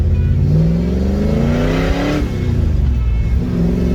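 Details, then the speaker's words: Car with different drivetrain, warm day, after timing was set to cure suspected detonation under load: engine pulls cleanly with a smooth rising note at full load, no pinging; running healthy, no overheating. "Definitely not there. Much happier with that. Pretty happy now with how this thing's running."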